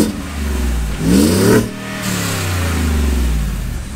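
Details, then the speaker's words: 2020 Shelby F150 after long-tube header install and exhaust leak fix with V-band: single quick rev rises and falls cleanly with deep, subdued exhaust, no ticking or puffing; much quieter, exhaust sounds sealed. "that's way quieter dude we can fix it a little bit"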